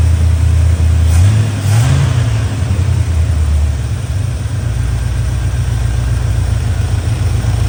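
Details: Chevy Square body barn-find truck, 305 (5.0) V8 with automatic, after timing, distributor, carburetor, tune-up and ignition work: deep, steady V8 burble settling into smooth, even idle, no stumble or loading up; running much better than before.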